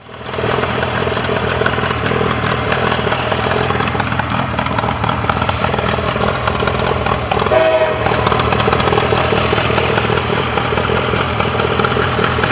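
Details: Mercury 40HP outboard on a Tracker Pro Crappie 175, earlier no-start was user error: runs steady with an even beat and a slight pickup near the middle; healthy, no stumble or knock.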